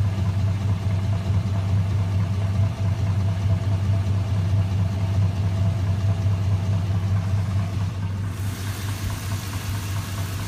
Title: 88 Chevy ls swap engine knock noise